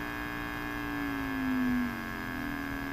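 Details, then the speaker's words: Emerson R-156 electrodynamic speaker after a new field coil, the original cone refitted and a new cardboard gasket: a steady 60 Hz test tone over a faint hum, with no buzz or scrape, so the voice coil isn't rubbing. "there's 100 Hertz and there's 60 Hertz and the great thing at 60 I don't hear the voice coil rubbing"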